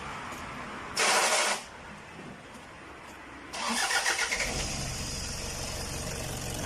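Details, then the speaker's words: Toyota D4D diesel that had a warning light, sluggish acceleration, stalling at idle and smoke, after repair and fuel pump system cleaning: a short crank, quick catch, then a smooth, even idle with no knock or stumble, said to sound factory-new. "เสียงกันดูนะครับมีเสียงเครื่องยนต์นิ่มมากนะครับเพียงเครื่องยนต์นิ่มมากครับเสียงดังคิดอย่างกับรถออกจากโรงงานเลยครับ"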